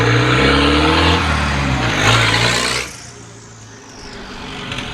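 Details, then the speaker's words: Volvo 940 first drive after revival, exhaust not yet sorted: raw, very loud tractor-like engine roar with harsh rasp as it pulls off; open unsilenced exhaust, though the car drives. "sounds like a tractor isn't it it's really really loud but again it dries which is good"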